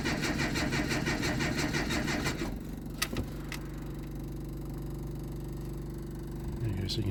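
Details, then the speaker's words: JDM Datsun that hasn't started for weeks after cutting out: rhythmic cranking for a couple of seconds never catches, then a steady faint electric hum as the fuel pump keeps priming. The owner suspects lost spark, unconfirmed. "So, yeah, it'll do that. You'll crank it over, it won't start. Then you release the key and you can hear the pump's still priming."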